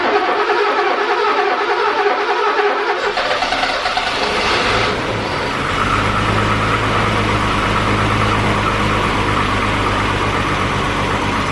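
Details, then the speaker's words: 1985 BMW E24 635CSi M30 engine, revived after years sitting with a crank-no-start fixed by correctly connecting the crank sensors to restore spark: a few seconds of cranking, then catches and settles into a steady, even run. "that's a running m30"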